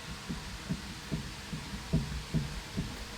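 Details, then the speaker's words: 1969 Porsche, front wheel rocked by hand: dull low knocks about two a second from a front wheel bearing with too much play, needing adjustment. "Wheel bearing is loose at the front here. It's hard to see, but you hear the knocking."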